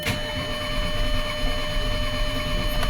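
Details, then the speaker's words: 2011 Audi A8 after engine overhaul following a thrown crank pulley, jumped chain and piston-to-valve contact: steady, healthy cranking with starter hum but no cylinder catching; cranks but won't start, cause not yet found. "And as you can hear, it's not even trying to start, but it does sound like it has a healthy crank."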